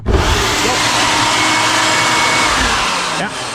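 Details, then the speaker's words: Shop-Vac vacuum run after the power switch was found to be the likely cause (dirt and grime in the switch); strong steady high-pitched whoosh and whine at constant speed, no rattles or bogging, normal running. "she was in the on position and she is running and it sounds like she's running just fine to one I would say so I think our problem was just some dirt and grind got in that switch there"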